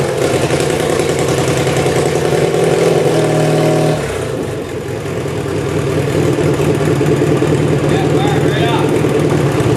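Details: Tractor started after sitting about a week: steady, even chug at idle with a brief dip that settles back smoothly, no misses or knocks; runs healthy.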